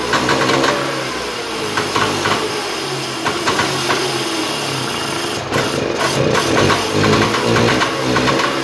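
Uneven, crackly two-stroke idle with some blips of throttle; it catches and keeps running after its first start, nothing alarming heard.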